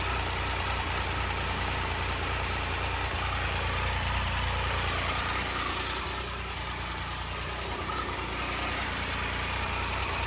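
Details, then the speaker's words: 2001 Triumph Sprint RS 955i three-cylinder at warm idle after a distilled water and vinegar coolant flush, temperature about 98 and nearing 100 when the fan comes on: a steady, even, low diesel-like idle throb with no knocks or misses. Healthy. "It's a good time to enjoy the idle sound of the trunk 3-cylinder engine. It sounds just like a diesel machine."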